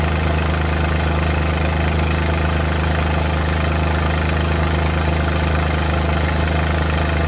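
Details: Suzuki Multicab F6A engine idling with a deep, uneven shake, about two stumbles a second breaking the rhythm: random misfire at idle.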